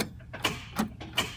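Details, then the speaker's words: 1976 Datsun 280Z, fuel injected, power restored with jumper clips at fusible link; a few sharp single clicks about half a second apart, solenoid trying to engage but starter not running, no cranking, starter next to inspect. "Nothing. You can hear the starter solenoid trying to click over, but the starter is not running."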